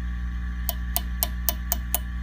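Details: Fender Custom Shop '57 Twin tube amp, harsh and noisy when overdriven: six quick, dry taps on a preamp tube over steady amp hum, with no ringing or crackle, a healthy non-microphonic tube; two other preamp tubes proved microphonic.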